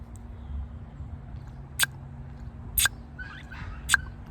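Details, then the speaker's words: Audi S6 4.2 V8, new secondary air injection combi valve off the car with vacuum applied by mouth: three crisp sharp taps as the valve snaps open; normal. The old valve wouldn't hold vacuum and gave only a suction noise (codes P0491/P0492). "so now whenever i suck on this combi valve this new one let's listen to this one do you hear that crisp little tap"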